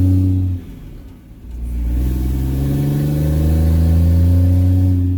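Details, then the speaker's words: 4th-gen Cummins diesel pickup with six-speed, just swapped to a 2nd-gen turbo, driven after bleeding the cooling system: deep loud roar climbing under acceleration, sounds like a semi truck. "it sounds like a semi truck now"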